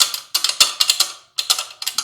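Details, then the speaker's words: Motorcycle (Lander) with a loose fitting by the swingarm rocked by hand: sharp metallic clacks in quick clusters. Over rocks it sounded like a tangled chain or a broken hub, but it was only a loose part, earlier left loose by sloppy service work. "tava parecendo um barulho que pudesse ser alguma coisa né não era assim o barulho é engraçado agora muito estranho que pudesse ser tipo corrente embolando então um cubo que tivesse estourado"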